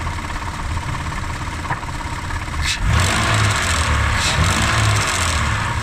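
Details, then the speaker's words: Mitsubishi Pajero Sport 6B31 engine revved with throttle blips; steady run then sharp rev rise with a dull knock underneath, owner suspects the flaps (заслонки) as the source. "Вот такой звук. Он идет вот отсюда."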